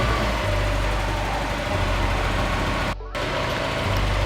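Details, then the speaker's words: Mazda Miata whose idle dropped to about 250 rpm with the lights on, after the idle air control unit was cleaned with carb cleaner: smooth, steady low idle with the lights on, apart from one brief dropout. Now idling normally. "lights back up it's running okay weird now it's running perfectly"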